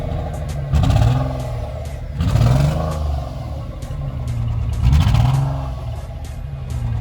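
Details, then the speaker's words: 2011 Nissan Teana with temperature rising while driving: two sharp revs over loud, blatty, raspy low exhaust note from a blown muffler leaking exhaust. "Also the muffler is blow. Let me see if you can hear it. Rev it 2 times."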